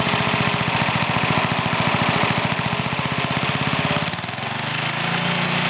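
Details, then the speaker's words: Older Briggs and Stratton, one-piece Flo-Jet carburetor, air filter off: single cylinder hunts and stumbles unevenly, then evens out as the screw is backed out richer; idle mixture was too lean. "I'm going to make it R run lean you going to hear what it does when ad tries to lean"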